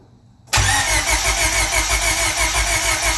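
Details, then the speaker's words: Turbo Honda Civic with brand-new starter, fuel pump fuse pulled and distributor unplugged, cranking to prime oil: starter engages sharply and spins the engine at a quick even rhythm, no grinding or clicking; normal starter cranking. "we're just trying to crank it to prime the engine and get some oil through and check for any leaks first here goes nothing"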